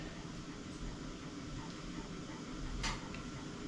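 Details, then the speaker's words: Vevor diesel heater in an off-grid cabin, running on DC solar power, just after start-up: quiet, steady rushing fan hum pushing air with no surging, knocks or rattles; heat arrives after about three minutes; running normally. "I can hear it down there saying start heating I can already hear it pushing air so going to start that timer now and see how long it takes"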